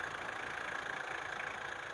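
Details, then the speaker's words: Mitsubishi Strada Triton GLX 4M40 diesel after repair for low power, black smoke and hesitation: quiet, even idle with a light hiss, no knocks or misses, and minimal vibration, running smoothly. "sudah mantap ini tidak ada apa getarannya sudah sangat minim ya nyaris tidak ada getaran suara kita"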